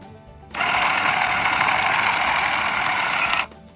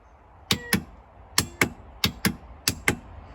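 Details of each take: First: A used quad's winch motor, reassembled and sealed after repair, spins freely on a booster battery in a clean, steady high-pitched whir for about three seconds, starting and stopping crisply with no grinding or stutter; normal motor run. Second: Used ATV winch with the key on: sharp paired relay clicks about every second, with no motor spin following. The relays work, so the problem is suspected to be in the winch motor itself.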